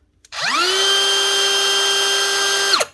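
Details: Dewalt DCW600 18V cordless trimmer after bearing replacement (one had run too free, likely heat-damaged bearings): motor spins up in half a second to a clean, steady high whine, holds evenly, winds down smoothly; new bearings healthy, normal running.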